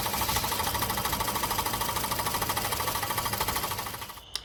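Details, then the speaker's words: 2017 Ford Escape 1.5L turbo running: rapid rod-knock-like knocking, two or three a second, from the vacuum wastegate actuator, whose busted diaphragm cannot hold vacuum and slaps back to rest. "well in this video I've got a little audio and visual for you of a turbo that's actually making a knocking noise it's almost like a rapid rod knock type noise"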